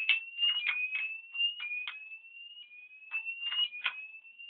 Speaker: So I've got the fault again. Appears it's making a very, very high pitched noise.